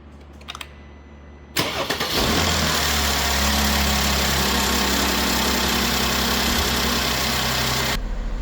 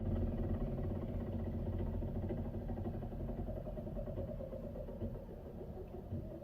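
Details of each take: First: Crash-repaired Mercedes-Benz GLK350 with new aftermarket parts, restarted while warming up: quick crank, catches at once, brief flare then smooth even idle with no misses or ticking, temperature climbing, revs good; normal start and idle. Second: Mercedes-Benz GLK350, rebuilt after crash, warming up at idle: quick uneven ticking about four times a second on top; a forgotten cable was hitting the fan or belt, moved out of the way.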